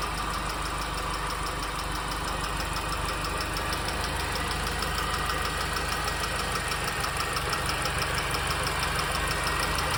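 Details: R53 MINI Cooper engine at steady idle: a light, quick tick about three times a second over the engine note; source of the ticking not yet pinned down.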